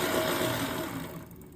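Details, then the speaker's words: Lectric XP trike right rear wheel, test spin just after replacing the failed axle bearing (20x35x9 mm): a smooth, even whir fading steadily as it coasts down, with no grinding or rumble. The new bearing sounds healthy. "okay let's do a little test run here before we put the F back on sounds good to"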